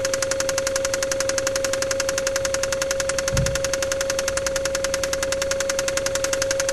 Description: KLZE spun the crankshaft bearings on cylinder No.6